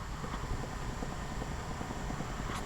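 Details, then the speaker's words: Sony WM-FX661 Walkman after cassette mechanism rebuild, microphone held close: quiet, steady whirr with soft irregular gear ticks and an even motor note; normal running noise of gears, belt and motor. "It is making this noise. I don't think this is a bad noise. It is a normal noise. Uh after all these are a lot of cog wheels and wheels and uh rubber belt with an motor that is spinning a tape."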